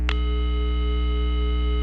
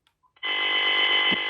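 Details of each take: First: Intelbras Conecta PBX after repair, tested at the matrix with the capsule: clean continuous mid-pitched tone with only a low hum and none of the earlier hiss; normal dial tone. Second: Intelbras Conecta PBX on the bench after a lightning strike, handset off hook on an extension: steady harsh buzz instead of the extension dial tone, with the scrambled signal reaching the matrix; no dial tone due to lightning-damaged matrix IC.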